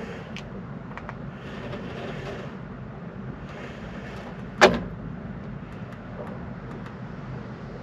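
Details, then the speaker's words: Honda Civic EP2 on an aftermarket coilover kit fitted three years ago: a sharp metallic clunk on steering as the dry strut top bearing lets the spring bind and jump; the fix is greasing the bearing; strut top mount bearing clunk. "un cuscinetto che permette di far ruotare sia la molla che proprio lo stelo della sospensione insieme allo sterzo quando quando gira"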